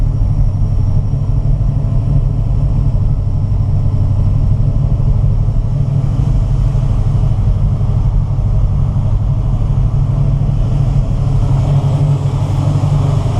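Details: 1969 Camaro with FiTech EFI timing control, MSD 6AL box, MSD Pro Billet locked-out distributor: deep, even V8 rumble holding a steady idle with no misfire or lope; healthy idle.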